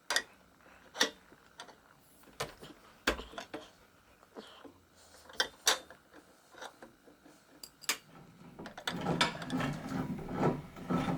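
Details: Keys Fitness Discovery 6.0 exercise bike, crank turned by hand with pedal removed before replacement: rough, uneven clicking and gritty rattle ending in a harsh grind; crank bearing worn out.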